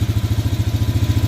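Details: Canyon 250cc shaft-driven Chinese ATV with choke off after fresh transmission and differential gear oil; even steady thumping about nine beats a second, no misses or clatter, clean idle.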